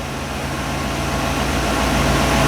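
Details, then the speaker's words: 1957 Chevy V8 that had starting trouble from bad stale premium gas, now siphoned out and refilled with fresh fuel: settles into a steady, even idle that builds slightly in volume, with no misses or stumbles. Runs healthy. "i got back to the car now but she's running good"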